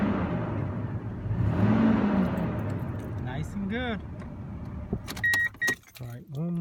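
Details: 2002 Toyota Tundra 3.4 L V6 after tightening the drive belt, fixing a morning squeal: engine idles with a steady low rumble and no squeal or chirp; the belt is quiet and properly tensioned.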